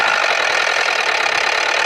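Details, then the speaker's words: Idling car engine with a dry, fast, brittle crackling rattle rather than a deep knock; a failing variable valve timing phaser is the suspected source, not confirmed. "очередной настораживающие звук это треск"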